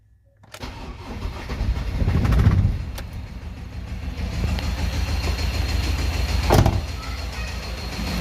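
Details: Ford Transit diesel running rough with a heavy low knock when revved, plus heavy smoke from the breather and exhaust. Burnt injector washers leaked compression into the engine, explaining the breather smoke. Connecting rod knock.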